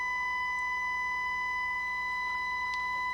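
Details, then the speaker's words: Harman Kardon HK350i receiver, reported as having a scratchy channel, with a 1–3 mV test tone fed into the phono stage: the right channel is clean and steady, while the left is distorted, buzzy and fading in and out; the green capacitors are suspected. "here's the right it's clean and steady the left is distorted and fading in and out"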